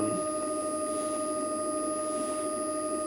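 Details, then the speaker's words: Gen1 Nissan Leaf motor driven from a Leaf inverter via a DIY VCU, unloaded: steady electric whine holds pitch after throttle release, even speeding up slightly when touched again; speed never drops. Owner suspects lack of load on the motor prevents the inverter slowing it. "and if i was to push that down a little bit further the motor continues to run even though i've let go of it and it even starts to get slightly faster and if i touch it again it gets faster again and so on and it's not actually the the speed isn't dropping down um"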